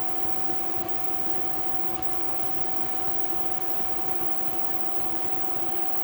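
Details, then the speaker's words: 3000 W Reliable inverter on 26 kWh battery bank, load cut from about 3100 W to 2960 W with water boiling: steady high-pitched hum over constant hiss, overload beeping stopped; handles heavy load fine. "So now we're pulling 2960 and it's not beeping anymore and it's handling it just fine."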